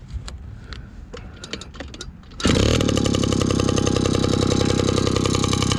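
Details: 1983 Honda QR50, unrestored 49cc oil-injected single-cylinder two-stroke, automatic clutch, dead cold start with fuel on: a few kicks, then catches and settles into steady, even, buzzy idle, no misses; normal cold start and idle.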